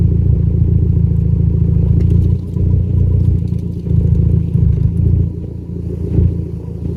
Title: Less idle misfire